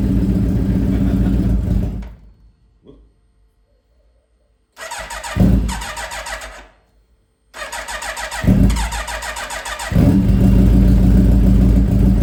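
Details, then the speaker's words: Suzuki Hayabusa first start after cleaning its clogged fuel filter and refitting the tank, with the fuel pump cycled and fuel low. It cranks and catches, stalls briefly, restarts and settles to a steady low idle with throttle blips; owner unsure it's happy yet. "All right, so she starts. Not sure if she's happy yet."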